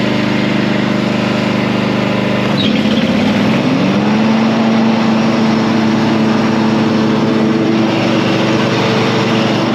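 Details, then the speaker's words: Mower after deck repair with sheet steel, blade sharpening and new clutch: small engine idles, then revs up smoothly and holds a steady even hum with no knocks or misses: normal running. "And now it's got a new a deck that's been repaired. The blades have all been sharpened and a new clutch. And now the machine is working again as it should be."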